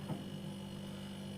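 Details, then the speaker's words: Single-door fridge compressor during repair testing, old relay parts kept, drawing a steady 0.4 A with no trip, discharge line warming: quiet, even low hum with no clicking, rattling or cycling off; compressor running normally. "0.4 का ampere ले रहा है तो इसमें अभी तक कोई issue नहीं नजर आया मुझे"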